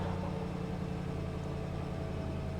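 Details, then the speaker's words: 1999 Mercedes S420 W140 V8 just after new throttle body installed: smooth even idle with steady low rumble, no hunting or stumbling; some ticking noted, power steering pump low on fluid. "oh yeah she sounds so good"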